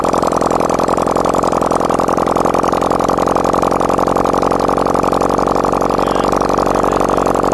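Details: Restored 1971 Honda CD175 K3 twin: even, steady idle with a regular exhaust beat and no knocks or ticks, oil confirmed reaching the head; normal healthy idle.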